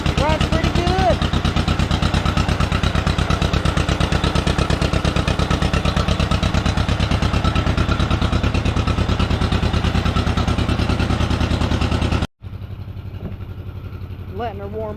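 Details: 1953 John Deere 40, sitting for years, new rotor, choked with throttle set up a bit: even steady putt-putt at fast idle with no misses or knocks while warming up, before it later died.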